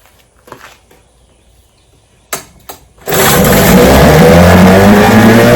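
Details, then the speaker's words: Restored then repaired vintage outboard, day four test: throttle full, fuel valve opened, primer pumped five times; a couple of pull-cord tugs, then it catches and settles into a strong, even two-stroke buzz, running five minutes straight. "Man, that's a beautiful sound. Let me see if it'll start right up. All right, day four run of success. 5 minutes straight."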